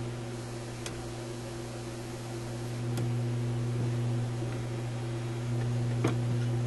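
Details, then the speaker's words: Florida Yugoslavian-built AM/FM/SW tube radio, hum repair attempted but hum remains: steady low unchanging hum with faint clicks, louder with tone turned up on auxiliary input; suspected power supply, volume control also faulty. "it's definitely the radio because i turned the tone up you can hear it more"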